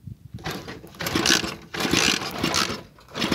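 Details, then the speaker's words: Motorcycle cranked with the anti-theft switch cut in the spliced wire: repeated whirring starter bursts, engine turns over but never fires; no start from cut ignition, runs normally once the switch is turned back on. "Miren, no prende. Ve."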